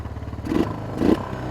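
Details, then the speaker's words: Used ATV from a batch of four-wheelers, the first one to start: small single-cylinder putters at a fast, even idle with a couple of brief blips; idle sits noticeably high. "Idled up a little high. I don't know how it's idling, telling you."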